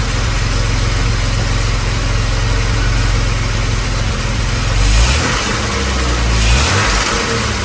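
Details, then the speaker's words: 1978 Jaguar XJ6 Series 2 barn find, off the road 24 years, after engine strip-down and repair of a loud rattle, with good oil pressure, warming up: steady idle with a couple of clean throttle blips, no rattle or knock. Sounds healthy. "give it a little C around more noise get it warmed up and then we'll give it a little bit of a tickle and you'll get it here that's fantastic brilliant"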